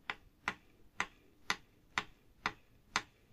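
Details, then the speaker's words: Vacuum cleaner motor, disassembled: sharp dry clicks about twice a second as the worn upper motor bearing is turned by hand near the mic; the lower bearing is in good condition. "bruit du roulement n'est pas bon. Rapprochons-nous du micro."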